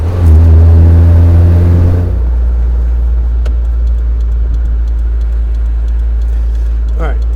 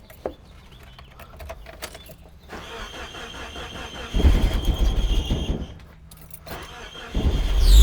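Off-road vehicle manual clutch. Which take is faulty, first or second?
second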